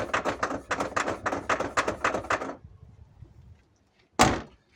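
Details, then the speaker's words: Lada Vesta with about 5000 km, tailgate shaken and opened giving quick hollow knocks that grew worse over bumps; a loose object rattling inside the fifth door, to be found under the trim. "есть явно слышно что где-то что-то болтается и соответственно нужно залезть под накладку с пятой двери"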